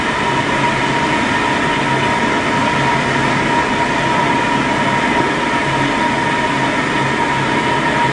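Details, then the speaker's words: Spin dryer with A182-60MB rotor and inserts during source inspection, 328 controller, final seconds of dry cycle after ramping to about 600 RPM. Steady even whir with fixed tone near one kilohertz, no knocks or wobble: running nice and smooth, normal. "All right, now we're down to about 9 seconds here. See, we're running nice and smooth."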